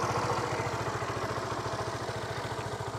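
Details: Honda Supra GTR150, K56 DOHC engine, 5 years old, 58,106 odometer, tensioner, clutch lining and TPS replaced; steady even idle with quick regular exhaust pulses, no clatter or misses; engine still fresh-sounding; normal idle.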